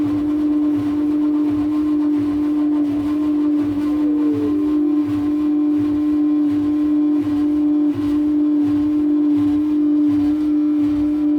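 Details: Whirlpool washing machine runs with a loud, steady mid-pitched whine over soft rhythmic churning.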